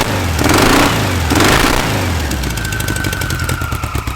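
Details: Air-cooled VW flat-four on a starter stand after resetting carb bypass and volume screws to 2.5 turns out, temporary exhaust, no intake: revs up twice then settles into steady even idle with faint whistle; runs smooth and healthy.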